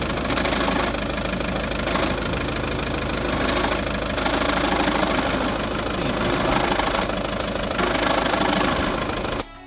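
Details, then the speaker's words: Volkswagen Golf Mk6 idling while the clutch pedal is slowly pressed and released: busy, loose metallic rattle, a sign of a dual mass flywheel on its way out; suspected, not confirmed. "so when you're basically depressing and pressing the pedal if you do it very slowly you'll be able to hear a rattle if your flower is on its way for example here"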